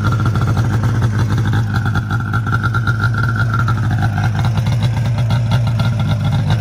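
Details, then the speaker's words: 2002 Arctic Cat ZR500 two-stroke snowmobile started cold with the key; steady crisp idle with even low beat and slight pipe whistle, starts easily, may need a tune-up but runs well; normal cold-start idle. "i'm going to fire it up right now while it's cold so you guys can see how good it starts it's a good running sled for sure"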